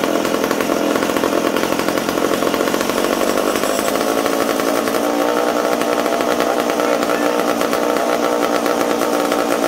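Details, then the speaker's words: McCulloch Super Pro 70 chainsaw reassembled after fuel tank repair, restarted; holds steady crisp high revs with no bogging; normal running at high revs. "ah wow there we go super pro super pro 70 ready to go again"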